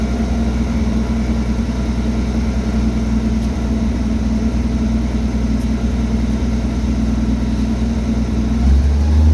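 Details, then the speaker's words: 1967 Chevy G10 van after installing a Thrush muffler and welded exhaust: smooth, even low idle rumble with a slight rev rise near the end, no ticks or rattles, quiet; normal exhaust note. "okay well I don't know what uh vintage sound they're talking about but anyway sounds good it's quiet and it's finished"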